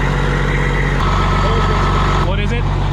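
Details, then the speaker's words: Cold start of a factory Detroit diesel (standard bearings, crank not cut, fairly new manifold) in a glider kit truck inspected for purchase; deep steady idle, even firing, no knocking or misfires: looks and sounds healthy. "Let's look at the cold start. It's a 1 box right there. Looks healthy."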